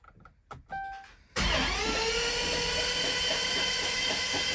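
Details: Newly installed starter cranks the Mopar 11 Charger engine, which had been hanging up near the top when turned by hand: a few faint clicks, then a strong even whir at about two and a half beats a second; it has compression. Healthy cranking.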